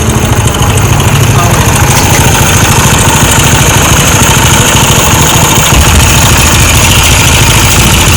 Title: Bike engine noise problem